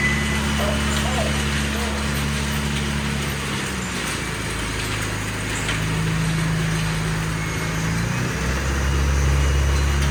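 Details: 1987 Toyota MR2, mid-mounted 1.6L DOHC fuel-injected 4-cylinder, about 42,000 miles: cold idle around 2,000 rpm, dropping as it warms; fast, even low drone stepping down and back up in pitch; normal raised cold idle.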